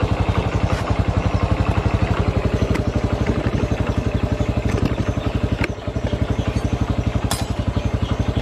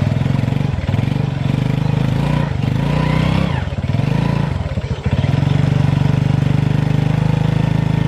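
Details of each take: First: Honda Revo FI with a power-loss complaint, after replacing the clutch shoes: a steady even thump at about four beats a second pulling over a ramp under light throttle, no slip or rattle. The clutch now takes up cleanly. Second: Honda Revo FI motorcycle lacking power, first gear unable to climb a board-height ramp: engine drones and rises under throttle with surges and dips but no pull, droning louder at high throttle.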